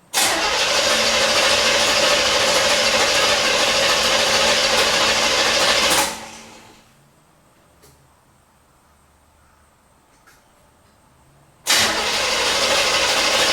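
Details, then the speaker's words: 1977 Corvette not started in over six years, distributor disconnected so it cannot fire, cranked to circulate new oil: the starter spins the engine at an even rhythm for about six seconds, pauses, then cranks again, with decent, even compression. "well it sounds good it's cranking okay"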